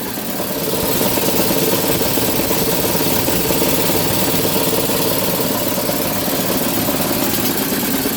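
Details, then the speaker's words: No-cooling call, Goodman furnace indoor unit: loud steady rumbling drone with rough shake; damaged blower housing vibrating badly, causing intermittent low control voltage and contactor chatter; new blower assembly with motor and wheel likely needed. "I think we need a new blower housing Houston we have a problem I think we need a new blower housing"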